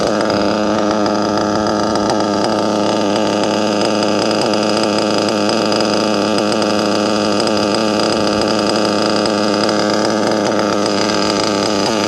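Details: Nitro RC car engine after a run: high buzzy steady even idle, no hunting or stumbling; normal idle.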